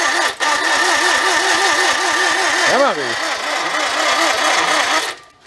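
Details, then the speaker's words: 1955 Morris Oxford parked for 33 years, with no spark and the battery possibly connected backwards: starter cranks slowly at about three labored pulses a second without catching; the starter switch contacts overheat and smoke, and high resistance there is suspected. "Yeah, I think we may have to take these apart and clean them. It sounds like it's got like a high resistance going across them."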